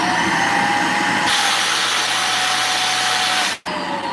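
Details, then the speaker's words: Vacuum cleaner with no suction: motor runs steady under a loud airy rush that jumps up and holds; air is escaping through the spring-loaded suction relief valve because of a clog. "Okay, that sound is air escaping from right here."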